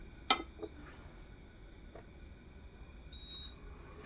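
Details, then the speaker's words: Induction hob with an aluminium pot: a pot clatters on the glass, then a single short high beep; the hob can't detect the aluminium pan and shows a no-pan error. "tidak akan terbaca pemirsa masih tetap eo ya error tah error apa namanya"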